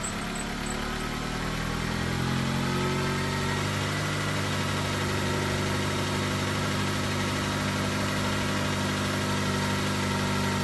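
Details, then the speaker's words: Jeep restarting after relay wiring repair, on a hot day; steady even idle with smooth low drone, no misses, knocks or surging; normal idle. "So, I'll see if it starts again. My work is all put together. It's not going to. And it does. So, we're good to go."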